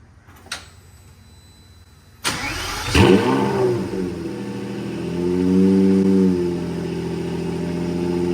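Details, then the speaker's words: Lamborghini Murcielago V12 cranks after repairs to fuel and electrical issues (new filters), catches with a sharp bark and settles into a smooth, even idle while left to heat cycle. Normal idle. "i'm gonna get it back together but it's running and happy again"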